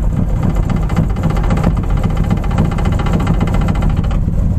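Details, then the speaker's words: 1983 GMC K15 Sierra V8 with Rochester Quadrajet carburetor, just after replacing the choke pull-off/vacuum break and adjusting idle screws, cold. Low, lumpy idle wavering as if about to stall, blowing black smoke; owner suspects a carburetor vacuum leak. "it wants to die don't do it black smoke run it like [ __ ]"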